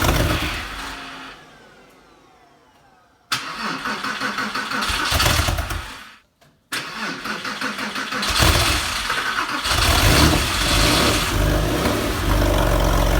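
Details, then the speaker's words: Porsche 911 (996), first start after restoration and engine reinstall: catches after cranking, then runs lumpy and uneven with surging revs; rough running from unplugged throttle body connector. "So although the car started, it was running really badly, and after running it for a little bit, I stopped the engine and had a good look around the engine bay just to see if there's anything I could see I missed when reinstalling the engine"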